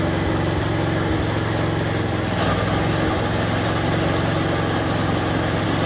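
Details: Snapper 4/22 vintage snowblower, small single-cylinder engine after repair of broken impeller and blown auger gearbox and bearings, restarted after freeing the throttle linkage: settles into a steady, even idle with no surging or over-revving; normal, healthy idle.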